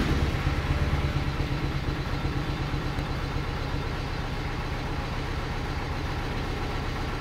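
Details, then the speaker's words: BMW E92 320i with a freshly rebuilt engine and muffler (M) delete, on its first start: rough, lumpy, uneven idle that never settles, louder than usual. One injector was found unplugged, leaving one cylinder dead; misfire. "oh one injector wasn't plugged in from what I saw this car has m delete and you can hear it it's a bit louder than usual sounds decent though"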